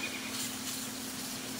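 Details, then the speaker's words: New Campbell Hausfeld 20-gallon twin-cylinder air compressor during setup and break-in: faint, steady airy hiss over a low even hum. Air is leaking at a plumbing fitting, found with soapy-water bubbles. "and you may be able to hear it too i don't know anyway that's where my leak is"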